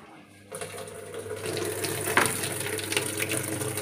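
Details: AQUA washing machine after repair of weak water inlet: after a quiet start, a strong steady rush of water fills the drum; inlet flow now normal.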